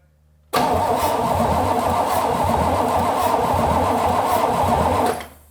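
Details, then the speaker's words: 1968 Pontiac Firebird V8, parked since 1984 after over 200,000 miles, starter freed up: short crank then steady even fast idle for several seconds; sounds healthy with good compression, oil pressure light goes out. "I mean, the motor sounds fine. It sounds like it's making compression."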